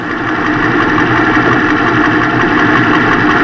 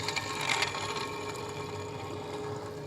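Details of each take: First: Ford F250 Super Duty engine idling after replacing the serpentine belt idler pulley and tensioner, the source of the earlier knocking: smooth, steady idle with an even pulse and no knocking or chirping; healthy. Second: Ford F250 Super Duty idler pulley, removed and spun by hand: a dry, rattly whir with faint knocking from its worn-out bearing.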